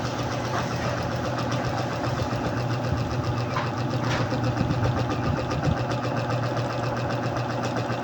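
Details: Yamaha Mio Soul i 125 scooter, leaking shock, started on one click: even low-pitched steady idle with only faint light ticking; a small noise heard but engine judged healthy with no problem.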